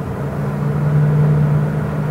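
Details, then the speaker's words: 1992 Winnebago Elante 37RQ with a 454 big-block Chevy and overdrive, pulling on a highway test drive at about 63–65 mph. The deep, even rumble swells under load; there is plenty of power, the transmission shifts well, and the engine is healthy. "sounds good [Music] plenty of power that's 40-45 transmission shift really well just great"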